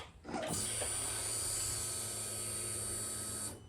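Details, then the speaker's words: Yamaha R1, used as a reference for a Ducati 748 whose pump wasn't priming. A steady three-second electric hum at key-on that cuts off cleanly. Normal fuel pump prime. "now just in case you weren't aware of what fuel pump sounds like running let's do it on the R1"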